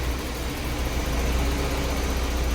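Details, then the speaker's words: 1991 BMW 318is E30 M42, first start after replacing timing chain guides with later M44-style guides, cooling system being bled: low, steady idle, even rumble, no ticking or rattle; runs fine, idle slightly low, attributed to a fuel tank gas leak. "I think the idle's kind of low because I do have a gas leak um that's coming from the gas tank."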